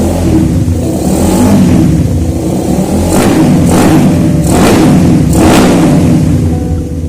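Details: Suzuki Satria FU motorcycle engine after work on a crankcase noise attributed to a worn damper balancer: blipped repeatedly, it revs cleanly and settles back without knocks or rattles, with music behind. Normal running.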